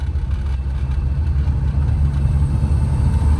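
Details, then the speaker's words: 1992 Rover Mini Cooper, 1.3 L single-point injection 4-cylinder with aftermarket intake, lowered, driving: deep throaty pull under acceleration with strong intake growl over road rumble; healthy normal intake noise. "But yeah, get a little bit of that intake noise. Sounds good."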